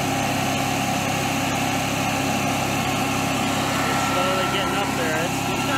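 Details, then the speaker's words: Generac-built Honeywell propane standby generator: loud, steady high-pitched drone around 4,000 rpm with no dip or hunting. The engine is overspeeding because the governor is not controlling it, and a failing stepper motor is suspected. "that bring that tank in a heartbeat more than normal 4 000 rpm"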